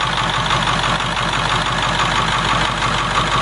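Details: 7.3 diesel swapped in for a 6.9 IDI on a 1989 International S1600, about 3/4 gallon of fuel run through so far, fuel bowl not leaking: even clatter at idle around three pulses a second, steady speed, no misses or knocks; healthy idle.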